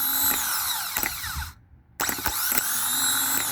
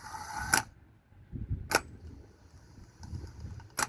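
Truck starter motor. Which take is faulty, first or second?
second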